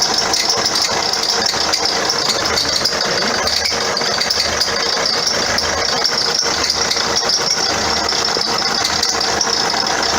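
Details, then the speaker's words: 2009 Vauxhall Astra diesel at idle: steady high belt squeal over a rattly idle with a faint knock from underneath, per complaint; alternator replacement followed. "Custer complaint is it's got a squeaky belt and knocking noises from underneath so let's have a listen"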